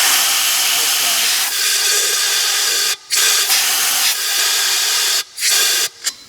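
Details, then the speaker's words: 2006 Ford Explorer with P0401 EGR code, compressed air blown into the EGR passage leading to the exhaust manifold: strong steady hiss flowing through with short breaks, so the passage is not clogged; the EGR valve itself is faulty. "means that is not clogged. So if that guy is not clogged, then we know we do have a problem with the EGR valve itself."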